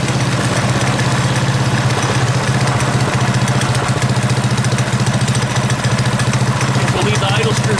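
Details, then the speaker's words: Predator 212cc single on a modified Coleman KT196 go-kart with advanced ignition timing idles with even, steady low thumping after the idle speed screw is lowered slightly; no stumbles or hunting. "it sounds good was all right let's lower the idle speed just a little bit"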